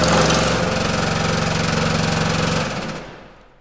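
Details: Pullmax-style machine doing thumbnail shrinking with plastic shrinking dies: fast, steady mechanical hammering with light rattle, machine shakes at start then runs smooth, winding down near end; normal operation.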